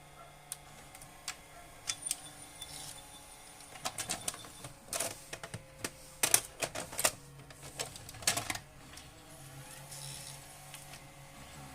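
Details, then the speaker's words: Panasonic HD100 VCR under repair for drum noise: loads a tape smoothly after the fix, with a run of light clicks and ticks over a faint motor hum; normal tape loading. "再次试机，进带很顺畅。"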